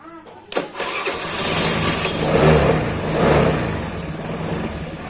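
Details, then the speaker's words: Honda Beat scooter with a 54 mm oversized piston, tested on a new battery charging about 13 volts, cranks heavily and sluggishly from high compression, then catches on the first try and settles into a steady idle; labored cranking from high compression. "Oke, percobaan pertama bisa ya, tapi agak berat karena memang kompresinya ini padat ya guys. Ini pakai piston 54 mili. Agak padat."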